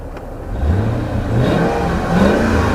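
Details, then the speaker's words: Old luxury car V8; smooth even revs rising and falling, no knocks or rattles; healthy V8 revving. "Sounds lovely though. And that old V8 is quite reliable, isn't it? The actual engine itself, it's everything else that can go wrong."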